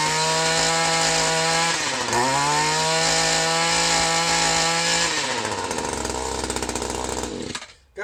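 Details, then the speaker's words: Echo SRM 210 two-stroke trimmer after new carburetor installed and air bubble cleared: steady clean buzz, dips and recovers smoothly with throttle, then winds down; normal running. "she runs like new just had to get an air bubble out of that uh out of that carburetor but you hear that she runs like a dream"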